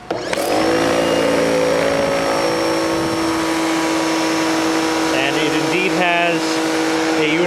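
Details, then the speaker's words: Campbell-Hausfeld PW1835 1800 PSI electric pressure washer, new: loud steady high-pitched universal-motor whine, harsh but even; it runs normally. "universal motor, which sounds like shit. Not at all as cool as the old one, but it looks like it works."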